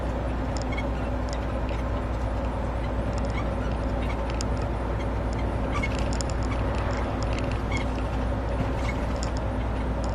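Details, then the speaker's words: Cab squeak while driving: steady road and engine drone with short, irregular, annoying high squeaks from the cab coming and going over bumps; source not pinned down. "And we can also listen to this annoying squeaky crap as well, like."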